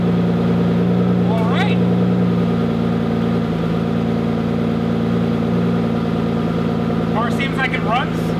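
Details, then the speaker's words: 2009 Aston Martin DBS 5.9 L V12 after owner-done maintenance, previously vibrating heavily: smooth, even low idle with a steady hum and no stumble; running cleanly on all 12 cylinders. "and it runs very smoothly runs on all 12 cylinders i'm not getting any weird vibration because before it was vibrating just a lot it runs cleanly"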